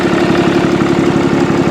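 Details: 6.7 Cummins turbo diesel truck at Copart, leaking oil, EGR deleted, hood open. Idle is a steady, even diesel clatter with a firm low rumble and no misses or knocks; healthy idle.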